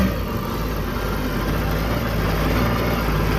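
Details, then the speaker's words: 2008 Yamaha VX1100 jet ski with an intermittent throttle-body stalling problem, after reinstalling the relays, throttle body, connectors and ECU: steady, even idle with a smooth low rumble and no stumbles; running normally, probably a connection issue, though intermittent. "Runs fine. So, maybe there wasn't an actual issue. It was probably a connection issue."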